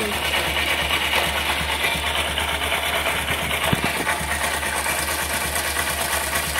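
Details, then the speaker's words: Honda SP125 BS6 motorcycle at 42,417 km after chain sprocket set reversed and refitted to cure khat-khat chain noise: steady smooth run with no slap or grinding; normal chain drive running after fix. "Guys जैसे आ रहा था तब देख सकते हो guys कोई नॉज नहीं है एकदम ही नॉज नहीं है"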